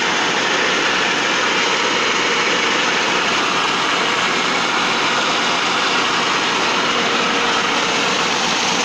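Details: T-150 tractor diesel after a major overhaul: steady, even running with no knocks or misses and a constant tone; normal running.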